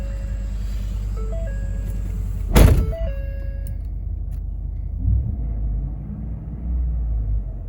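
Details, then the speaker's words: 2014 Ford F-150 5.0 that cranked but wouldn't start, after replacing the blown fuel pump fuse: dash chimes, short crank, quick catch, then a smooth steady low idle; starts and runs normally. "go perfect so it starts up like it should as you can tell it's obviously running perfectly fine"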